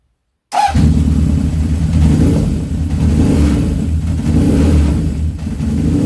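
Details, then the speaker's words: Honda CB750 four after carb cleaning and balancing with mercury manometers: fires up and settles into a smooth, even idle with steady low burble, no stumble; looks and sounds pretty good; normal idle. "At that point, I'm stopping. It looks and sounds pretty good."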